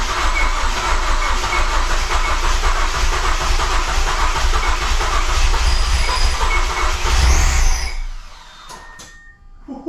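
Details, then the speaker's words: Mazdaspeed6 freshly rebuilt engine, first start attempt after aligning the crank position sensor between the 20th and 21st teeth of the harmonic balancer. Starter turns over with a steady chug, about four beats a second, but never fires; cranks, no start. "What the heck? I thought I would just fire it up, but okay. Sounds like something's wrong."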